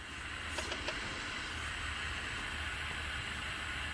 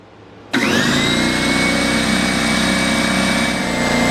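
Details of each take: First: DeWalt D55168 15-gallon compressor, about 10 years old: steady high-pitched hiss over a faint low hum, air leaking from the front of the regulator at its adjustment knob; fixed with regulator repair kit N008792. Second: DeWalt D55168 15-gallon air compressor, about 10 years old, running after a regulator rebuild with repair kit N008792: motor spins up to a steady, even drone with a clean whine, then shuts off; leak fixed, but regulated pressure then stuck at maximum.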